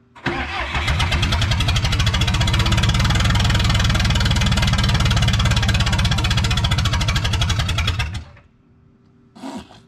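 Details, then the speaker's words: 1986 Lull 644 Highlander II telehandler diesel, sat for many years, after injection pump check; fires up and runs about eight seconds with heavy steady knock near three per second under the clatter, heavy smoke; oil full of metal glitter, engine shot. "i bought it knowing i thought it needed a motor so it turns out i am correct because i don't know if that's showing up on the camera oil looks like stripper glitter"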